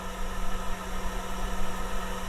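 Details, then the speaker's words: 400 W inverter plugged into truck's single outlet, powering Starlink and laptop charging, truck running: loud steady whirring rush over a constant unchanging hum; inverter cooling fan far too noisy. "I don't think they could have made that thing any louder."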